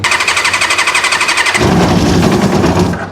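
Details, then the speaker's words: Track bike that won't start, running only on starting spray (spark confirmed): uneven popping about four a second, then a ragged rev fading out; carburettors starved of fuel. "Well, it runs happy on easy start, so that means we're getting spark, which is good."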